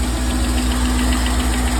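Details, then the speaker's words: 1999 C5 Corvette after oil pan gasket replacement, subframe still lowered: steady low rumble with even, unbroken firing pulses, no knocks or ticks; idles smoothly with no engine lights and no leaks. "yeah you hear that good news right there fin I got running no engine lights ignore the sign it's outdated no leaks kind of have to go in there you go in just a little bit"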